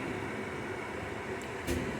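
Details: Hisense dehumidifier started after almost two months unused, room humidity 50%, washer running in background: soft steady airy fan whoosh with no rattle or rub, compressor not yet on; fan running normally.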